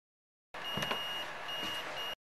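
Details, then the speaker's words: Monster SoundStage S3 Bluetooth speaker that won't power on: multimeter in continuity mode gives two steady high beeps, showing a short on the board's power line; shorted capacitors, PCM9211 chip heated when voltage was injected. "you can hear the beeping there there's a short so there's a problem so i found kind of like a short here i have it in continuity mode"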